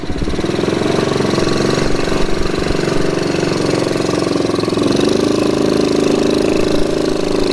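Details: 1969 Honda CT70 small single-cylinder, bought as a non-runner and just revived, choke opened; steady, even idle with no knocks or misses, sounds healthy and settled.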